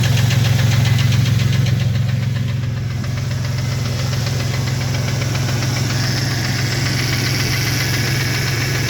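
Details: 2001 Jeep Cherokee XJ 4.0L inline-six idles with a steady hollow knock, about four raps a second, over a deep hum: piston slap from a broken piston skirt.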